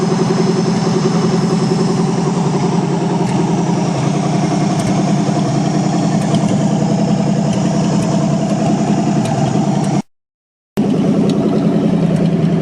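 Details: 1963 Allis-Chalmers loader with 1978 Monte Carlo 305 V8, first run after 5.5 years, still a bit cold: deep steady idle with even beat, no knocks or misses; everything working good; normal idle.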